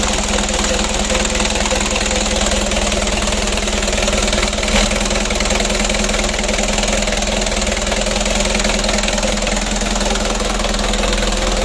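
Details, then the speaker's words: 4D34 120 PS diesel, freshly rebuilt, first start after assembly with a manually serviced injection pump: steady diesel clatter at an even idle, no misses or knocks over the normal injector rattle; oil looks good, engine runs fine. "Untuk mesinnya sudah hidup."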